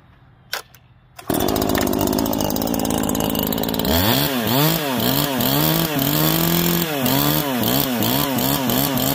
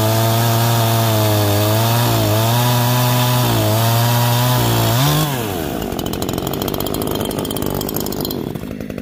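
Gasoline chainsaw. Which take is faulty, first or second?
second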